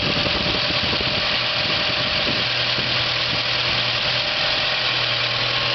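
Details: 1970 GAZ-24 engine, first start after assembly: steady, even idle with a smooth hiss-heavy note that holds its speed without stumbling. Normal idle.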